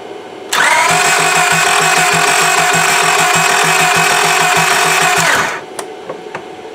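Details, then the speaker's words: 2002 Honda Accord sat about two years, new fuel pump, spark and fuel present, ether sprayed: starter whirs with compression beats about three a second for five seconds, never fires; timing belt skipped tooth suspected, unconfirmed. "so we become stumped on this Accord we're not sure it looks like it's getting spark definitely getting fuel to it we've charged the battery up a few times and trying cranking it we sprayed ether in it it should have fired"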